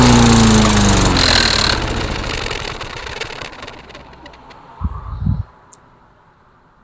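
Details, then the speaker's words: Mastercraft lawnmower after an engine swap, left overnight, primed with ten pumps: it catches and runs loud for a couple of seconds, then speed sags and it dies; starts then stalls. "Well, it started, ran, and then died. I don't know. Is that a good thing or a bad thing? This mower is confusing me."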